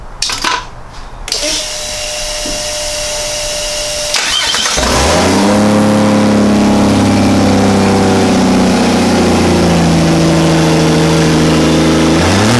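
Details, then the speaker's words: Barra T turbo straight-six in Toyota Landcruiser, second start after first firing, checking throttle pedal works: starter cranks a few seconds, catches cleanly, revs rise and fall smoothly with throttle; normal start and revving. "so fired up well for the first time we're just going to fire it up again and check that the throttle pedal's working yeah you're good yeah"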